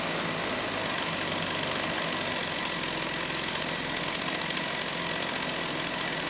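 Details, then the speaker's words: Rebuilt STIHL 028 AV Super chainsaw, previously burned up on straight gas, non-OEM parts: sharp buzzy high-pitched run with fast ragged crackle, running lean; opening the low-speed jet improved it. "now it was for sure running lean so I did open up the low speed jet a bit and it started to sound a little bit better"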